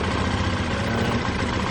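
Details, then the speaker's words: 2005 Honda Lead SCV100 scooter, warm, with the cover refitted and a new part fitted: low, even putter with no surging or racing, a steady idle; engine running fine. "The engine is sort of furring away. I think actually she's running the fact that it was"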